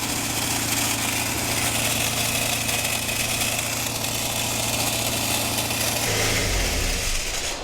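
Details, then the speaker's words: 1977 Triumph Dolomite, not run in years, smoking slightly and idling too high at 2,000–3,000 rpm: harsh loud rattling clatter over rough running until it cuts out; owner suspects valvetrain/lifters, nothing found under rocker cover; loud abnormal mechanical noise. "oh what is that noise wow that got really bad it was coming oh no was that coming from the valve cover was that is that valves and lifters"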